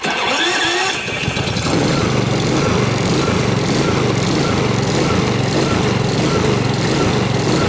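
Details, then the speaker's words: New Honda HRX2174HZA mower, electric start on fast with auto choke after recharging its battery: starter whirs, engine catches, then speed surges about every half second before settling; happens after sitting, cause uncertain. "Looks like I got some surging going on with the initial start with the auto choke. Looks like it worked itself out."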